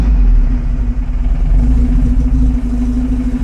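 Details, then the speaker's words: 1975 Volvo 245 wagon with 16v turbo swap, LH2.2 injection, after replacing the bad air mass meter: engine picks up cleanly on throttle with deep steady rumble, no stumble or hesitation; running healthy. "When you give a gas, how does it respond? Oh, so I guess that's what it's supposed to sound like. Oh, yeah."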